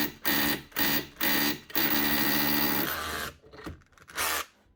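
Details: Makita DHR242 18V cordless SDS hammer drill, just over a year old, customer reports starting and stopping: while hammering it drops out in short bursts about twice a second, then a longer run dies; trigger or battery suspected.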